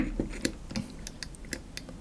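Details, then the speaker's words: Peugeot 205 GTI throttle body being restored, throttle switch housing refitted on the bench; sharp light irregular clicks as the throttle is worked, contacts engaging properly, electrical test still to come. "Déjà on entend les contacts. Ça veut dire que le contact il colle bien."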